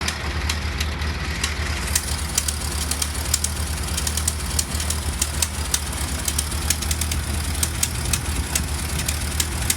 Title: Model T Engine Sounds Like Popcorn Popping